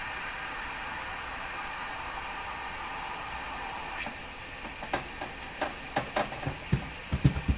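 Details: Hammarlund SP-600 receiver, fault localized to tubes 6, 7 and 8: steady hiss then sharp scattered clicks and pops, not coming from the antenna; suspected internal, not confirmed.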